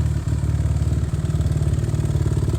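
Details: Older carbureted Suzuki RMZ 450 dirt bike, first start since bought from higher elevation, not rejetted: fast even clattering bottom-end knock over lumpy single-cylinder idle; seller called it normal for that year, rod knock suspected, unconfirmed.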